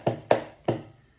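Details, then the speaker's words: DIY small engine test stand with Walker dashboard, 12 V battery: switching to run triggers the added starter solenoid, three crisp, separate clicks with a short ring after each; normal starter solenoid click. "So when you go to run, it will trigger the solenoid, and now put juice to your starter."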